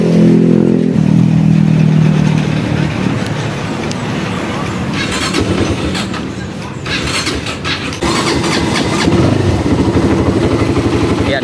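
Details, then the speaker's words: XR200 single-cylinder with a noisy engine, before repair: fires up and settles into a lumpy idle with quick light top-end ticking. "Umandar na yan. Lumalagitik. Yan maingay."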